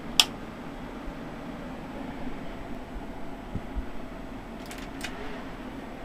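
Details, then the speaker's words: HP Pavilion desktop powering up after suspected power supply failure: a click at switch-on, then a quiet, steady fan whir with no grinding or ticking; normal power-on, motherboard works. "Oh yeah, sounds like it's got some life."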